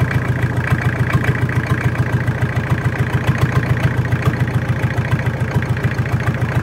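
Steady idle with a crisp, regular tapping about three to four times a second riding over the engine; source not pinned down.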